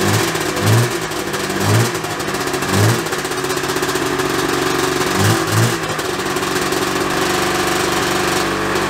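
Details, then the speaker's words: 1987 Yamaha Exciter 570 two-stroke snowmobile, revived after sitting 13 years, electric start on the battery with choke: starts right up and settles into a steady, even idle with a few light blips; normal idle. "let's see if the battery will do it yeah it starts right up idle's nice don't mind these red lights they barely mean anything"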